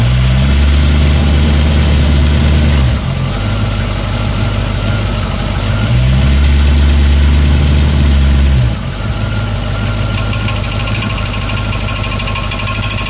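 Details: 1931 Ford Model A at idle: rough, rhythmic rattle about four times a second that comes and goes, over a loud low idle; starter gear suspected of hitting the flex plate.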